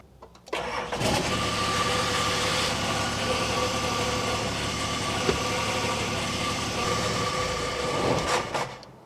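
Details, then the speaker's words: Nissan GQ Patrol diesel, unregistered since 2011, starting and shutting off: it runs evenly, then a brief whirring rasp and clunk comes at shutdown. The owner suspects the starter motor staying engaged; it was earlier thought to be the throwout bearing, but the clutch didn't change the sound. "Hear that little bit at the end there? Sort of sounds like the starter motor. I wonder if the starter motor's staying engaged and spinning."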